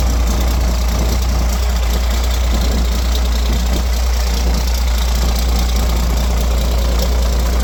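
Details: Roadtec paver diesel after fuel filter change and exhaust/air intake repair fixed start-sputter-shutdown fault: steady, even low rumble at idle with no coughing, stumbling or dying; idling normally.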